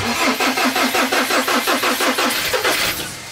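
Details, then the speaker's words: Pickup truck in a freezing snowstorm cranks with even pulses, nearly three a second, for about three seconds, then fades without catching; won't start, owner suspects everything froze. "vamos ver se vai agora [Música] Ai meu Deus não pega pega por isso que é bom dar uma ligada todo dia né"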